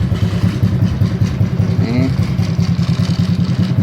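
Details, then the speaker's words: Honda Supra X 125, started after several days unused, idling: steady single-cylinder idle with a loose, buzzy rattle on each beat from the vibrating license plate; headlight housing also vibrates. "sih semuanya ini bunyi-bunyian ini dari sini nih dari plat plat nomor getar ya karakternya lah batok getar kan"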